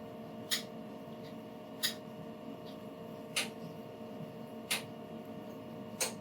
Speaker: And once you hear them all clicking on and off, you know that you did a good job there.